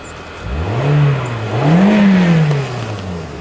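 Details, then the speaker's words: 2010 Toyota Corolla 1.8 L, crank-no-start with immobilizer codes B2797/B2799, now started with new key: pitch rises cleanly through two blips and settles to steady idle; normal revving. "Oh, check that out. The engine is running. I mean, the security light is on. The engine is running. Hold on. Let me rev it."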